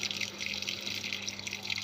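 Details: Washing machine that had no water flow, after its water inlet valve was replaced: a steady, uninterrupted hiss of water rushing in with no sputter. Water now flows normally.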